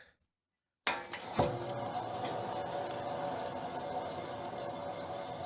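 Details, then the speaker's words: Toyota Tacoma on lift, wheel spun by hand: continuous gritty rumble with rough ringing tone, unlike smooth other side; bad wheel bearing on this side, to be replaced. "so that's how you know this wheel bearing on this side is bad the other one is smooth sounding"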